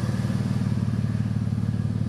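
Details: Jeep bought cheap with loud exhaust: steady, even, throaty idle with a loud exhaust and no knocks or misses; engine sounds healthy.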